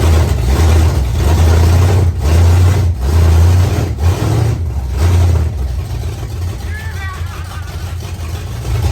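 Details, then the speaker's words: 1968 Pontiac Firebird V8, sat for years, running again with a deep, steady rumble, slight speed swells and no knocks or misses; oil is at the add mark. Normal running. "it's just if feels so good so good to hear this thing run again you know bring something back that's just been sitting for years"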